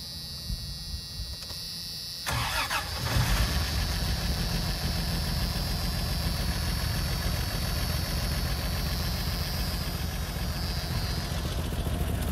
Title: Blown Head Gasket - Oddball 80